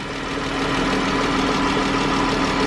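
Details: 2013 Chrysler 300 with the 3.6 L engine at idle, before repair: a fast, light ticking like a lifter rides over a smooth idle, louder on the driver side than the passenger side. Valve train ticking.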